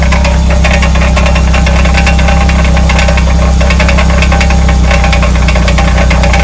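Loose, uneven metallic rattling over a heavy low drone, irregular in timing; sounds like a rattle, source not confirmed.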